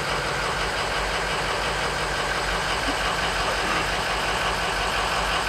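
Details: 2003 Ford F-250 Super Duty 6.0 L diesel: long steady cranking with no clear catch into running idle; hard start, extended cranking.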